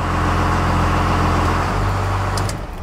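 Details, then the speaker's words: 1st Gen Cummins diesel after new Suncoast torque converter install and idle screw adjustment, AC on: deep even rumble at about 850 rpm in park, just over 750 in gear, no misses or knocks; healthy idle. "okay we're at 8 50 in park and just over 750 in gear so that's pretty dang good"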